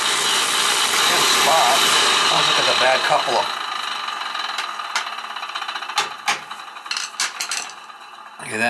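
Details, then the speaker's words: Beckett oil burner that won't reset or fire, previously had a blocked oil line: motor whirs at a steady high hum spinning easily but burner never lights, then scraping handling. Finding: stripped oil pump coupling, motor not driving the pump. "that bad mold with the pump coupling i bet i think it's a bad more cut when it's gone yeah see how it's spinning easy"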